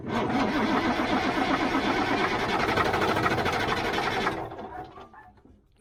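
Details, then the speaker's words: 1977 Mack R-model diesel that sat for years, after ether, gives steady starter churning at about 160 strokes a minute for four seconds, then it drops away as the batteries run down. It never fires; no fuel from the injector pump is suspected but unconfirmed. Cranks, no start. "it ain't gonna do it it's not going to do it running down the batteries now well we tried"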